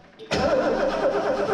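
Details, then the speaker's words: Lincoln Mark III barn find, unrun for years, after a rusted starter wire was replaced: starter spins the engine steadily but it never fires, with no spark; bad coil suspected. "Hey, wait a minute. I don't think we have any spark here. May have a bad coil."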